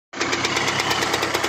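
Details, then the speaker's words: 1989 Suzuki TS 125 X two-stroke enduro (125 cc, 16 kW) just after an engine overhaul, fitted with a provisional exhaust: crisp, rapid, even idle crackle with a raspy open exhaust, warming up nicely with no leaks, sounds healthy. "Vaši, krásně se ohřívá. Super."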